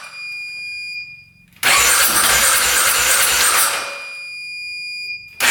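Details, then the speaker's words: 2010 Polaris Sportsman 550 EFI ATV, not run in years: long starter cranking with a few weak catches but no start, just after a blocked case breather line was cut open. "Sound like wanted to go there for a sec. Keep on going with it."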